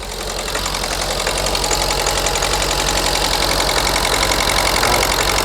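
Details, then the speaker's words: Ford Focus 1.6 TDCi diesel held just over 1500 rpm: lumpy, aggressive misfire. Unplugging injector 1 changes nothing while unplugging the others worsens it, so a cylinder 1 fault other than the injector is suspected. "Okay, and I've got this with it at about just over 1500 RPM, okay? And then we've got quite an aggressive misfire."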